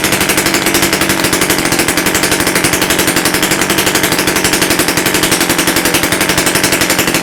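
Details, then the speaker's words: Rebuilt Romet S38 two-stroke moped engine, Almet cylinder, new parts, first start after overhaul without muffler: loud, rapid, crackling open-pipe beat holding a steady pace without misses; normal running. "Nawet powiem szczerze że ładnie odpalił"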